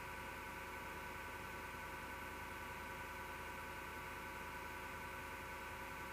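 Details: Desktop PC power supply fan: steady whirr with gritty grinding and faint fluttering; owner suspects bad, vibrating PSU fan bearing; noise recurs after about two months and disappears after being off overnight.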